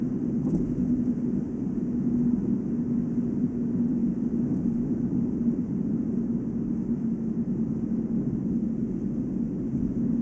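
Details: Volvo S80 at about 145 km/h (±5): steady low hum over road noise, only with brand-new 245/40 R18 Goodyear Eagle F1 Asymmetric 6 summer tires; unchanged when accelerating, braking or cornering; a wheel bearing is doubted and tire tread or rim design is suspected.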